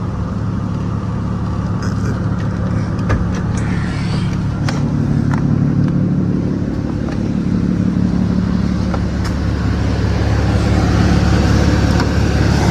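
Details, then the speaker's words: 1998 Lexus GS300 after AC compressor replacement with an OEM Denso unit, engine hood-open after a drive, clutch engaged and revved: steady idle with smooth low hum, no whine or rattle; AC blowing cold, sounds healthy. "Compressor clutch is on. Everything is good. So, rev it up real quick. I don't hear the whining sound."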